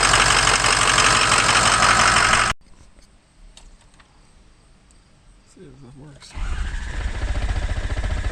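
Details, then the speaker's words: Ford 6.0 Powerstroke diesel truck just after a new injector install: a long stretch of rough cranking, a pause, then another attempt before it catches and idles; hard starting, owner hopes it goes away after driving. "it makes it seem like a race truck when it starts hard no this sounds broken i don't like it cranking a lot"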